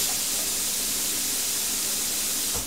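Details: Plasma cutter with the torch switch plug shorted by a screwdriver: steady airy hiss with faint hum, running continuously without cutting out; so the fault lies in the torch switch or its wiring.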